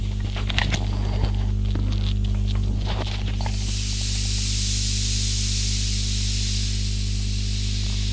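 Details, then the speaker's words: Well G55 (MP5K) gas airsoft magazine being filled: low microphone hum, then loud steady hiss that doesn't ease as gas escapes past the magazine's centre seal; gas leak. "okay so i've got another mag here which is uh leaking from the center which i was kind of surprised at"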